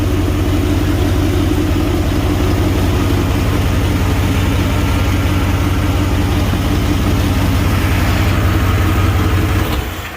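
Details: Chevy Caprice LT1 V8, cold idle, O2 sensors unhooked, old dump mufflers: rapid puffing tick on the rumble, fairly steady; big exhaust leak.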